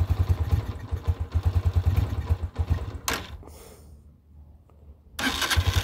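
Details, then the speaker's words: 2022 Honda CG125L at 500 miles, cold engine just started on half choke: uneven, lumpy thumping at low revs; rough cold idle, cause not stated. "this one sounds like a bag of sh it's not warm it's cold this"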